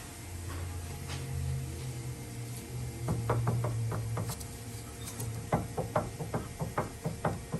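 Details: Dodge Dakota suspension clunking: sharp, hollow clunks in quick bursts from loose stabilizer (sway bar) links.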